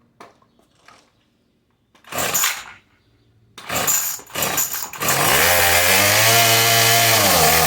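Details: Old 26cc Murray string trimmer (possibly M220) with a faulty carburetor that leaks fuel; after a few pulls it fires and screams at a steady high pitch with no idle; stuck at full throttle from the bad carburetor.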